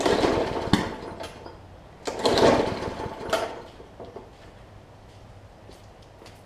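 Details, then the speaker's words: Plastic-carb Briggs & Stratton OHV push mower (Hyper Tough/Murray) that sat unstarted over winter: engine sputters in short bursts with sharp pops then dies while pull-starting; water got into the fuel and likely the plug. "hear it popping so there's a little bit of water that's probably in the plug as well so i'm going to continue to pull it it'll catch at some point"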